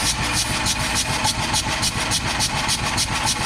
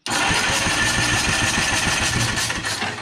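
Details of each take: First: 1954 Caterpillar No.6 track loader pony motor, cranked with ether after sitting in a barn: steady cranking chug about three and a half turns a second, no catch or pop; crank no start, magneto suspected. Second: 1954 Caterpillar No.6 track loader found in a barn: its pony motor cranks evenly at about three and a half compression beats per second with a slight starter growl; normal cranking.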